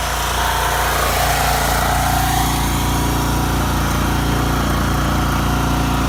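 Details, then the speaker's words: Champion generator heard standing at the unit while switching an electric heater through its load settings: loud, even engine drone at steady speed with no misses or knocks; carries electrical load smoothly. "Alright, now we're in the part of the video where you're gonna hear the generator go through the various loads of the heater from your point of view."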